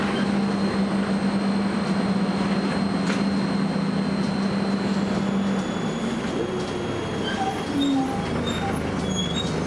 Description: First Manchester Volvo B10BLE, with a strange, high-pitched noise!